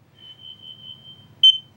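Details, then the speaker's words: Combination smoke and carbon monoxide alarm in a condo near a gas tankless water heater, test button pressed: voice says fire, then carbon monoxide; steady high-pitched tone ending in one sharp louder chirp, alarm test finishing normally. "I think she's going to say something about carbon monoxide and Fire Let's listen you hear it carbon monoxide there you go"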